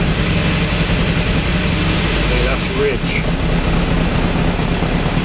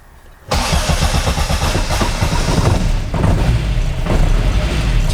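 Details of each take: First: Mk1 Austin Mini with an Arden 8-port head, cold start on a hot day while refining the cold-start fuel map: it fires and runs unevenly, rising and sagging. It only stays running on the throttle. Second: Mk1 Austin Mini with an Arden 8-port head, cold start while refining the cold-start enrichment map: it fires after a short crank and settles to a steady idle of about 850 rpm as the lambda kicks in. A clean cold start.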